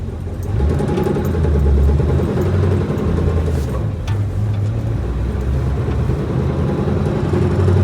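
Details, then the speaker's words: 1965 Ford Mustang coupe, cold, lugged in third gear: low rumbling drone with uneven knock under load; input-RPM specific, vanishes with clutch in; suspected vibration between flywheel and transmission/clutch assembly, not confirmed. "And that noise comes back. It's definitely input RPM specific. So I can put the clutch in. Goes completely away."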